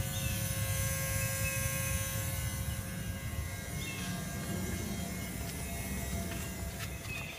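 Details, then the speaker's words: 2003 VW Jetta VR6, engine off after driving to temperature: thin, steady relay-like electrical buzz near the firewall over low rumble, cutting out partway; intermittent, draining new battery, ECM already replaced, grounds checked; cause unknown. "I don't know where the buzzing is coming from."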